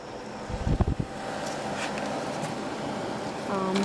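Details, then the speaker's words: Samsung 5,000 BTU window AC (about 2000, R-22 rotary compressor) after repairing corroded capacitor power wire, ~72°F, 70% humidity: after handling thumps, fan-only low setting gives steady even blower rush; normal. "That's that. That's high fan. Low fan. Flat. It blows quite a bit."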